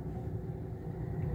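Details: 2011 Toyota Belta after refitting the loose MAP/intake air temperature sensor connector clip that caused rpm up-and-down and codes P0108/P0113: low, even rumble at idle with no surging or stumbling; check-engine light off, idling normally.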